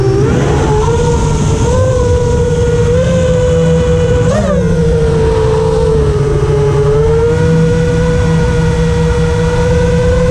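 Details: FR7 quad after tuning with D-min off (D-min had caused raspy, carbon-like resonating motor noise), RPM filter on at 1.5, master slider 1.4, dynamic idle 15: smooth, clean motor whine rising and falling evenly with throttle, no rasp or grit; motors healthy.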